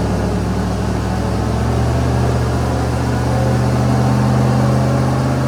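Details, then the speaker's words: Jeep LJ with Hemi V8 and aftermarket cam, strapped on dyno before tuning: steady low even idle rumble, no misses, knocks or hunting; sounds much better than before, normal idle. "So that's the filling site right here. Sounds a lot better than it did."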